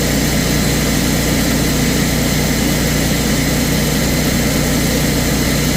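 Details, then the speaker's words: Kohler 14kW generator, model 14RCA, after fixing a dried-out, broken bushing/clip that caused hard loping; hunted once, then set. Even, unwavering drone with no hunting; normal steady governed speed. "Hunted once just to find it and then boom, set. Problem solved."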